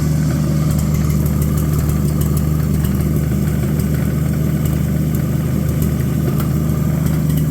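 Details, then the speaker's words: Abandoned Chevy 216 inline-six from a 1950 Chevy 1-ton truck, run on used filtered oil through a couple of heat cycles: deep, uneven, chuffy idle with an irregular stumble and a dull knock underneath. Misfire with a bottom-end knock. "yesterday I ran this thing through a couple of heat cycles and it's h quite uh chuffy and uh it's got a miss and a bottom end noise that uh doesn't sound too good"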